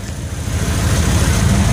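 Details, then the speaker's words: 1988 Ford Econoline wheelchair-lift van, old V8 idling parked after sitting two days with no leaks; low, even rumble with steady beat, no knocks, ticks or stumbles. Normal idle. "so I assure you it runs and drives great uh all you can hear it do is run now of course"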